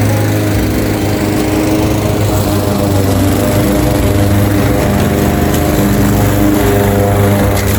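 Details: Craftsman 21-inch mower with Honda GCV160 5.5 hp single-cylinder, bought reportedly not starting with a dry tank, cutting grass at level-two height: a steady, even drone holding speed, no misses or knocks. Healthy under load; technically nothing was wrong.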